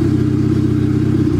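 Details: Honda Civic wagon with new D16Z6 turbo build (H-beam rods, dual valve springs), first start: steady mid-pitched drone with sudden pitch shifts, surging up and down; owner plans to check fuel pressure regulator, cause unconfirmed.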